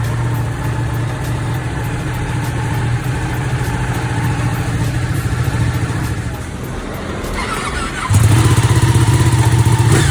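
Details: Ducati 959 Panigale idles with a steady, even low thrum and no knocking after repair of an engine knock, then picks up slightly near the end.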